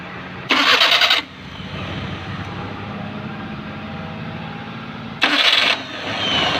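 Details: Maruti Suzuki 800 while cranking, clutch pedal also tight: two short harsh gritty bursts under a second each with quieter engine sound between; abnormal starter noise on starting.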